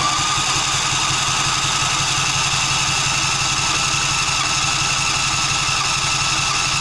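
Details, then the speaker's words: John Deere Z335E zero-turn mower, fuel solenoid clicking, dirty fuel/air filter, possibly unused this season. Strong even cranking at about 3 beats per second that never catches; turns over fine but won't start. "By good starting, I mean good turning over. Thing obviously isn't starting."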